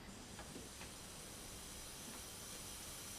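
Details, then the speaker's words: Nissan R32 GTR RB26 boost leak test with compressed air at about 3–5 psi: a steady faint hiss of air escaping past the leaking paper intake manifold gaskets, which were popped at about 1.1 bar of boost. "building here it's about three right now it's at five psi is you can already hear it"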